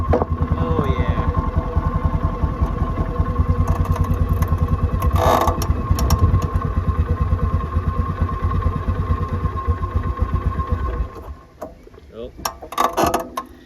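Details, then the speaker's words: Polaris Sportsman 400 ATV, cold start after crash repairs and sitting too long: the single-cylinder catches on the first pull and chugs unevenly for about eleven seconds, then sags and dies, unable to hold idle. "Well, it started on the first pole, but it couldn't maintain. It's been sitting too long."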